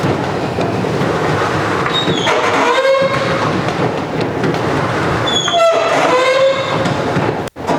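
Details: Roll-up garage door, after white lithium grease on one rusty spring: two high, wavering squeals as the door travels, each fading after about a second; improving, though the owner fears the spring is too far gone.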